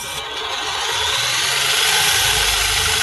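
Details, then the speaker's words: JJRC Q36 4WD RC truck, powered up with wheels spinning off the ground on a box, proportional throttle eased on: steady high motor and gear whir climbing gently, smooth and even, plus box vibration noise not present in normal use; normal motor run. "The noise that you're hearing there is obviously the vibration off the box there. It doesn't make that noise when you're normally using this."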